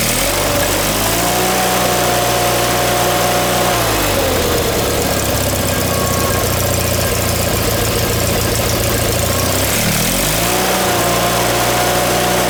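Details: John Deere 318 small petrol twin after engine reinstall with a reworked manifold replacing the surging one, new plugs, wires and oil, shrouds off; revs up and drops back to a steady idle without surging, running good.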